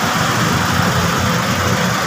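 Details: 2009 Hyundai Tucson after alternator connector/belt fix, started and battery warning light now off and charging: loud, steady running with an even low rumble, no misses, knocks or surging — normal idle.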